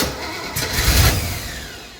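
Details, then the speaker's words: 1968 Camaro, 327 with 4-speed, swapped Holley carburetor, first start attempt: brief burst of cranking that never catches into a steady run; no fuel in the carburetor bowls. "This thing is so going to run. It is so going to run. No fuel in the bowls."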